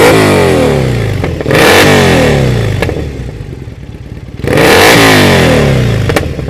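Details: Triumph Bonneville SE 865 with D&D silencers fitted: revs rise and fall with sharp cracks and pops as the throttle closes, exhaust popping on the overrun. The owner suspects the air injection system.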